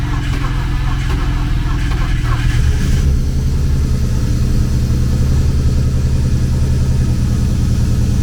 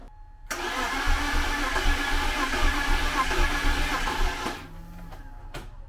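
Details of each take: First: BMW E36 convertible six, first start on a jump box after cylinder head replacement: it catches and settles into an even idle with no knocks or misses, sounding like all six cylinders are firing. Check engine light still on. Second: BMW E36 convertible six after cylinder head replacement (had a cylinder 6 misfire): sluggish, labored cranking at about four pulses a second with no catch, even with two jump boxes. The battery is too weak and should have been charged.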